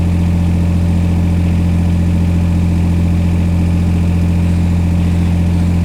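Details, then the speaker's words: Old diesel given revs slowly after finally starting; deep, steady drone at constant pace, no knocking or misses: running normally. "So let's give it some revs. We'll do this slowly because there's going to be a monsoon coming out the back."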